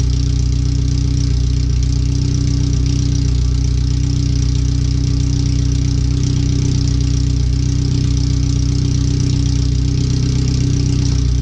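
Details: First startup after new header, fuel filter and differential work, O2 sensors relocated: loud, raw, deep idle with steady fast pulse and no muffling, exhaust open at the header before the rest is refitted; computer read 5–7% rich at idle.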